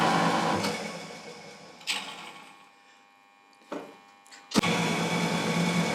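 Single-phase motor hums smoothly, then winds down after switch-off with a sharp click as the centrifugal switch drops in; working normally.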